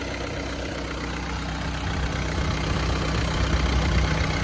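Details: 1994 Isuzu Panther diesel, 30 years without an overhaul, with new piston rings, warm at about 90 °C after a drive with full AC: even idle with steady low clatter, no knocks or surging; valve clearance not yet checked.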